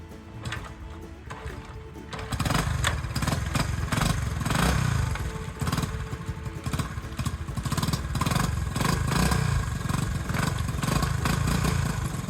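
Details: Honda CT90 after a clutch replacement on a clutch that previously didn't work and pounded into gear, on a test ride: small single pulls evenly, gears engage without banging; engine and clutch sound healthy.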